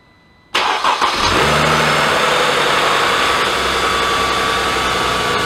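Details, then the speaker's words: Mercedes-Benz S211 with M272/M273 engine, cold start after replacing the oil pickup tube O-ring: it cranks, catches quickly and settles into a smooth idle. The earlier diesel-like rattle a few seconds after start is gone. "on cold start there was no more uh rattle a couple seconds into the start so that's a good thing"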